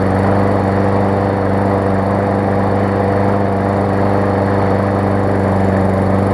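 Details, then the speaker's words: New Murray push mower, warm start after the twisted deck was bent back away from the blade: steady, even drone at constant speed with no scraping or knocking; the blade no longer hits the deck and the engine runs smoothly. "runs good and not hit the deck anymore which is perfect"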